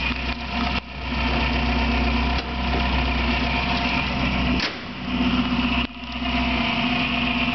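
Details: Bird-like chirp from an engine revved several times, present for two years and now louder; persists after alternator bearing and timing belt tensioner replacement and with alternator belt removed; source undetermined.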